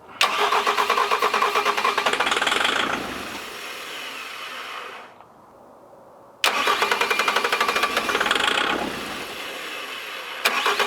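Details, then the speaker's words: 2007 Bobcat S185 with Kubota V2003 turbo diesel, sabotaged, cold weather with heat applied: two long bursts of steady cranking about three turns a second, white smoke, never catching; no-start. "still not starting not 1% sure really what's going on we're getting smoked it's cranking over"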